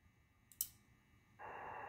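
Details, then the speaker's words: Magnis SDR transceiver kit after installing relays K1, K2 and K4 with flyback diodes, on switching out of transmit: one crisp, sharp relay click, then receiver hiss returns; normal transmit relay operation. "all right that confirms that uh the transmit relay is clicking off and on"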